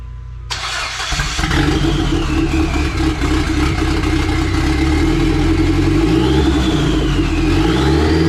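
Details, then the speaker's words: SRT-4 with a swapped-in engine and transmission, after a bad rewire was removed (a bad crank sensor was also found): catches after a short crank, steady idle, smooth blips with no knocks. The transmission was found to pop out of 3rd on downshift. "right now what i'm going to do is i'm going to start it up again see how it's going to run and then i'm going to try to run it through the gears to see if this transmission that we installed is actually going to go through the gear"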